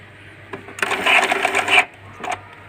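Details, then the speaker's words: Epson L120 repaired from alternating blinking lights and a stuck carriage: about one second of quick mechanical buzz as the carriage travels, then quiet. Movement is smooth and the printer is usable. "udah gerak kan. Udah itu sudah gerak. Ini artinya printer bisa digunakan."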